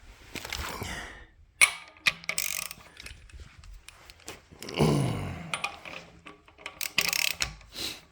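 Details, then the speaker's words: LS3 stroker with 4in-stroke crank and F-body oil pan fitted without gasket, engine turned slowly by hand with a ratchet: dull clunk each time a crank throw contacts the pan, before grinding for clearance. "And when you turn it over, before you grind it, you're gonna hear it clunk as you turn it. Gonna keep going, you're gonna hear a clunk."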